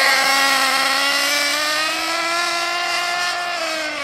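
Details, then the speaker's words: Ansmann Virus 2.0 Big Block RC car with a .28 nitro engine on its first drive after run-in, part throttle: a buzzy high whine drifting up and down, blubbery and unclean. The fuel-air mixture is too rich and still needs tuning. "as you can tell it does need loads of tuning on it still with regards to the fuel air mixture"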